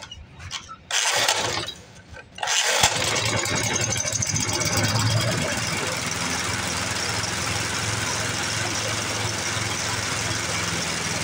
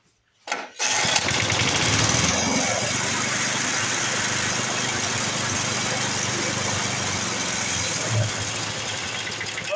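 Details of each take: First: 1982 Snapper Hi Vac mower stored for years, first start on fresh fuel with carb cleaner and air filter off: several cranks, then it catches and settles into a steady, slightly uneven run; owner plans carb tuning. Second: 1982 Snapper Hi-Vac mower, sat abandoned for years, after adjusting the rear fuel mixture and refitting the air filter: the small single-cylinder engine fires on the first pull and settles into a steady, even run; normal start and run.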